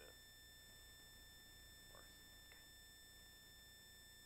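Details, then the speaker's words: Wireless mic audio during live stream: constant thin high-pitched whine under room sound, unchanging; ground loop noise, which occurs when the wireless mic is plugged in. "now i've learned not to plug it in otherwise you end up with that nasty ground loop sound what i'm glad is now gone"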